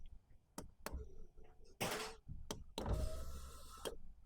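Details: Ford Transit camper that came in with a non-start and non-working windows; after a dead high-amperage relay was replaced, the window motor runs in short smooth whirring bursts between clicks and thumps; normal operation.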